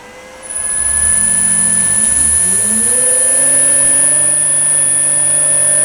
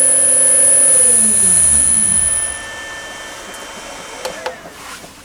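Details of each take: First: New three-phase motor for Myford ML7 lathe on 2.2 kW 220V VFD, jogged in forward/reverse: motor hum climbs smoothly in pitch then settles to an even tone under faint high drive whine, fan on; runs normally. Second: Myford ML7 lathe's new 1400 RPM 4-pole three-phase motor on a 2.2 kW 220V single-phase VFD, straight out of the box, not yet set to the motor: high piercing whine with stepped tones falling away as the motor runs down.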